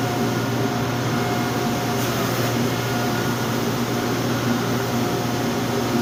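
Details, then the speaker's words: Wide-belt sander with air-tracked belt, making Shaker doors in white oak: steady, even motor hum with soft hiss of air past the belt-tracking sensor, no knocks or grinding; running normally. "so if you hear it you'll hear a little bit of hissing and that is air passing by a sensor that reads the belt as it tracks"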